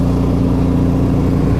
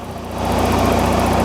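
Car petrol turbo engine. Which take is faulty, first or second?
first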